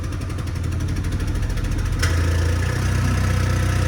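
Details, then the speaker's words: Opel Tigra started with a replacement ECU after the original failed: uneven, lumpy idle with an irregular beat and dull low chuff, running on one or two cylinders short; wiring, ignition or injector suspected; rough idle with heavy smoke. "Çalıştık. Bir ya da 2 silindir eksik çalışıyoruz."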